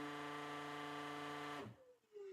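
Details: Vacuum cleaner motor: steady, buzzy hum that then cuts out and winds down; running sound is abnormal, owner thinks he knows the cause but it isn't stated, unit to be opened.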